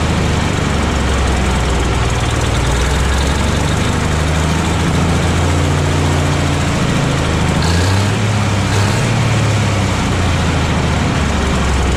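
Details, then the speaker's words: 1957 Autocar diesel truck, first start after 15 years unused since 2004, warming up, maybe not on all cylinders: low lumpy idle with uneven beat and occasional stumble; rough idle, owner suspects dirty injectors, fresh fuel probably helped, expects smoothing as it runs. "so she's running now she's still running a little bit rough but not bad I think probably it's got some dirty injectors and some more fresh fuel probably helped but the longer it runs the smoother it should get"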